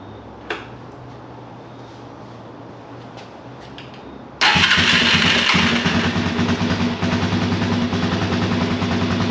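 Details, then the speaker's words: Kawasaki KFX400 ATV single-cylinder engine after starter clutch replacement, cranked first with ignition wires off, then fired: catches at once and settles into a steady even thump around 200 per minute; sounds good. "I just want to crank it over to see if uh see if everything sounds good and that sounds absolutely perfect"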